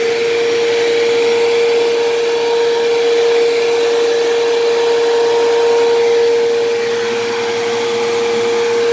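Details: Dyson DC07 upright vacuum, long unused, running: loud, piercing steady whine high over airflow rush, constant pitch; worn motor bearings, worsening, possibly dried out after sitting, or brush-roll bearings suspected; still passable.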